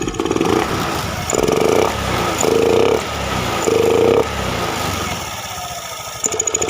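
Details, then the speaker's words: Honda Beat FI scooter, no MIL fault codes, throttle body, fuel pump, EOT sensor, spark plug and injector already swapped. Quick throttle blips rise briefly then fall flat and sputter; hesitation and bog on snap throttle. "tapi motor ketika di standar diturunin atau beban di jalan motor berat atau kalau di gas langsung motor brebet atau 00 atau ngok ya kita coba gas langsung"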